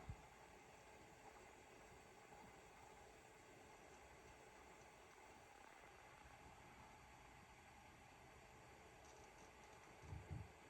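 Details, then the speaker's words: Synology RS1221+ NAS after swapping stock fans for Noctua NF-A8 PWM 80mm fans: only soft steady hiss with faint low hum, no rattle or pulsing, drives now audible; fans running quietly and normally. "oh man that is so much quieter let me pull up the decibel reader here for you once to get started i can actually hear the drives spinning up before all i could hear was fan"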